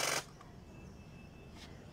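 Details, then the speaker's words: Parked petrol car used once or twice a month, battery charged three times; one sharp starter clatter then silence, no cranking; battery fully discharged, needs charging or replacement. "तो ऐसा sound आता है, ठीक से crank भी नहीं हो रहा है वो। तो ये दोस्तों बैटरी का प्रॉब्लम है, क्योंकि मेरी गाड़ी जो है ये खड़ी रहती है।"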